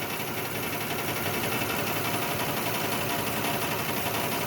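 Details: 2006 Lexus ES330 at idle after tapping the number 5 injector: rough idle with uneven stumbling beat under engine hum; cylinder 5 still missing from an injector stuck closed, slight improvement only, injector cleaning planned next.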